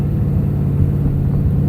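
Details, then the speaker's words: Truck with aftermarket Borla exhaust, heard at steady cruise: deep, low booming hum with little up high that drones at certain rpms; owner considering a Corsa instead; exhaust drone. "it's got a drone to it it definitely has a drone to it at certain rpms"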